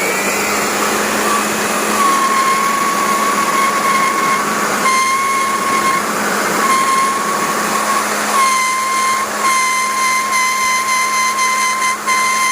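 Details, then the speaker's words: Simulated wind noise reproducing the "mysterious" whistle heard driving at 120 km/h and above: loose plastic windshield trim lifts and rubs in the fast airflow, giving a clear steady high whistle cutting in and out over a low hum. The fix is trimming or removing the loose trim. "เวลาโดนลมพัดเร็วๆเนี่ยจังหวะที่ตัวผมเมียมันหลุดออกมานะครับที่เป็นพลาสติกอะมันก็จะสีกับลมแล้วดังนะครับ"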